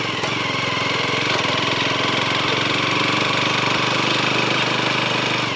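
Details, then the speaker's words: Leonart Daytona 125 motorcycle being ridden at low speed: a harsh scraping rasp pulsing about three times a second from the rear, worst at low speed and fading as speed rises. The source is unclear and was not found when the bike was pushed by hand. "Проблема максимально явно проявляется на малых скоростях. Чем быстрее едешь, тем меньше посторонних звуков."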